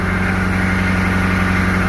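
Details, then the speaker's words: Military Humvee diesel after sitting 13 years, still cold with white smoke: steady even low idle, no knocks or misses, running good; owner suspects injectors for the smoke, unconfirmed. "but we're still pretty pretty cold but um seems to run good though i'm kind of impressed actually"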